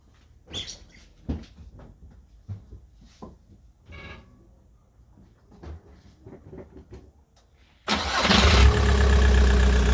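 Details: Volkswagen Golf 4 started after replacing the cylinder-head side water pipe seal to fix a coolant leak; engine catches at once and settles into steady even idle, no misfire or knock; healthy, checking for leaks.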